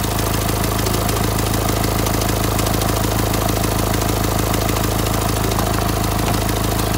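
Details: Renault Symbol diesel about a month after a complete engine rebuild, idling: a steady, sharp ticking of roughly three ticks a second. The injectors were checked. The fault was eventually found at the first place suspected.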